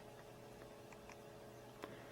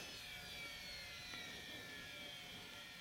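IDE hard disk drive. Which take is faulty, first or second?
first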